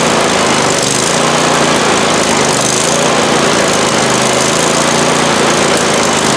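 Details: Abandoned 48-inch Husqvarna mower engine brought back to life, running loud and raspy at steady speed with a coarse uneven edge; runs, but not the greatest.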